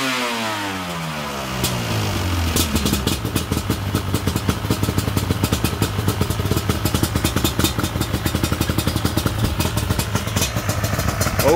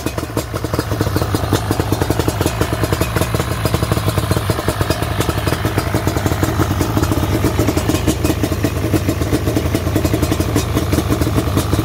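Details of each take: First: Yamaha Banshee twin two-stroke with clean carbs, after rebuilding a leaking dual Pingel petcock: fires, revs, then drops to a lumpy, popping, burbling idle. Smoky and running a real rich mixture. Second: Yamaha Banshee twin two-stroke after a dual Pingel petcock rebuild, running smoky and rich; even, muffled burbling idle with crackles through long mufflers, no missing or knocking.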